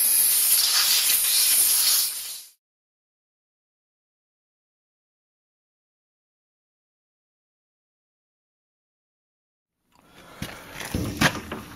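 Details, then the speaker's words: New Quincy QT-54 220V two-stage air compressor at about 165 psi during plumbing installation; loud steady hiss from a big leak when opened, caused by a directional-flow fitting installed backwards. "we crack this open I don't know what that regulators said that either so we're gonna watch that sounds like I got a pretty big leak somewhere"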